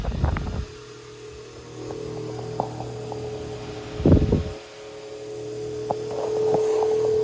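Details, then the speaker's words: Antique Peerless 8-inch AC/DC oscillating table fan, oscillation set to full arc: a steady mid-pitched motor hum with scattered clicks and a thump. The motor brushes are worn short with weak spring tension and need replacing. "You can hear it fluctuating. And um that is uh the brushes. They're not They really should be replaced. They're kind of short and the spring isn't putting as much tension on it as it should."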